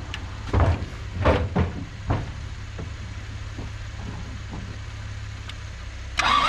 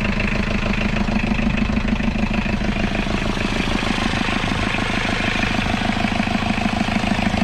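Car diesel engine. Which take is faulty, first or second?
first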